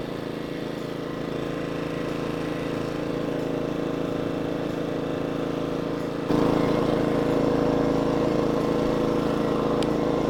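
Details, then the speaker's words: Inverter generator after carburetor replacement and redoing a damaged mounting gasket, idle control off: even, steady engine drone, much smoother, no longer hunting back and forth; normal steady idle. "I tone that down for y'all so you don't got to hear it but that's much smoother that's not hunting back and forth"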